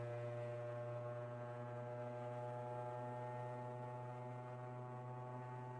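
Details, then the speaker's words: Qidi Plus4 3D printer, new unit, input shaping calibration: loud steady buzzing hum on a fixed low note with ringing overtones; frame resonance is expected as the printer maps resonances to work around them. "but that's that's the point of input shaping it's basically figuring out where the residences are occurring and how it can work around them"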